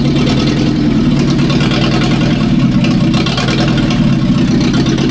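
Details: 1945/1946 Allis Chalmers Model B tractor, magneto ignition, barn-stored about 20 years, idling after dirt was cleaned from the carburettor main jet: steady, even low idle with a smooth rumble and no misses or knocks; running sweet.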